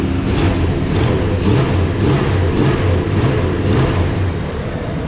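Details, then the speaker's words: Chevrolet Caprice/Impala LT1 V8 after fixing a misfire by replacing a cracked #8 rear spark plug porcelain and gapping plugs: deep, even rumble rising and settling smoothly with throttle blips, no stumble or miss; slight exhaust leak suspected. "that sounds as good as I've heard it here the other side that sounds perfect I'm not gonna lie that sounds pretty good"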